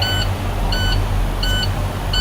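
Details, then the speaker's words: Truck air brake system check, air fully drained before recharging: repeating high electronic beeps about every 0.7 seconds over a low idle rumble, two dash lights on; low air pressure warning alarm. "You got nothing, alarm's going off, lights are on. Not a good thing."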